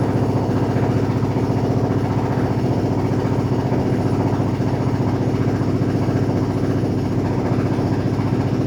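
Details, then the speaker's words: Smeg espresso machine after a completed service and tune-up, test shot: steady rapid pump buzz at constant pitch with no stutter or strain; pump running normally. "Then you're going to hear the pump start to pump little bits of water through"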